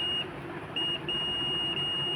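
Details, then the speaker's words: FAWLC-040 switch-type water level controller tested before installation, powered in auto mode, multimeter on continuity across pump relay output wires: clear high-pitched continuity beep, steady with short breaks, relay contacts closed, normal. "So நீங்கள் just like that இந்த மாதிரி வச்சிங்கன்னா உங்களுக்கு ஒரு beep sound கேட்கும். Continuity வந்து pass ஆகும், இந்த மாதிரி சவுண்ட்"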